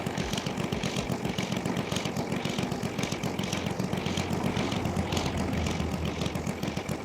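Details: Saito FG-60R3 3-cylinder radial in a Legend Hobby T-28 Trojan RC plane, ground test during break-in runs: even, rumbling idle with steady firing rhythm, no misses or knocks; engine running fantastic, normal idle.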